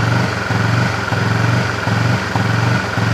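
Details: Honda CB fuel-injected motorcycle stumbling and misfiring with choppy, uneven bursts and dropouts as throttle opens; brebet persists after five services, rough sound appearing as rpm rises while a scan-tool reading stays at zero.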